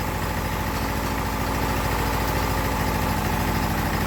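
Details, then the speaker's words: Briggs test engine burning oil heavily: rough, lumpy idle with a fast uneven beat and hollow tone. Cylinder damage leaves virtually no compression, with oil passing worn piston rings. "there's far too much cylinder damage in it there's virtually no compression left in this thing at all it's just there's like nothing so we're getting way too much oil pass the Rings that's pretty well as simple as that"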